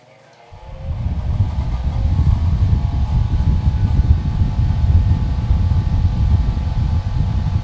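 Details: 1960s metal electric fan, no power switch, plugged in: spins up over a few seconds into a steady low whoosh with no knocks or rattles; normal running at full speed.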